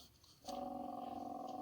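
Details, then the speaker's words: Old inducer/exhaust vent motor removed from a Lennox furnace (12W47): after a brief quiet start, a rough buzzing hum with a fast purring flutter holds steady; abnormal noise, motor being replaced. "you can hear that strange noise that it was making"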